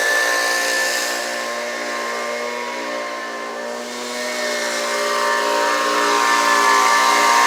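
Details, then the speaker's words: Homelite UT09250 string trimmer two-stroke after carburetor replacement, warmed up: steady clean buzz swelling slightly at higher throttle, no stumbling; runs fine, though it could use a little tuning to wind out more. "now that's pretty good to me uh it seems like it could use a little tuning to wind it out just a little bit more"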